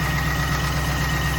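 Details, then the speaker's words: 1998 Pontiac Trans Am LS1 V8 at warm idle after the fuel rail was removed and the injectors cleaned. A steady, quick light knock persists and is no worse than before; suspected piston slap, not confirmed. "that knock is still there pretty sure that's piston slap as someone commented on my previous video but I'm not going to lie it doesn't sound worse"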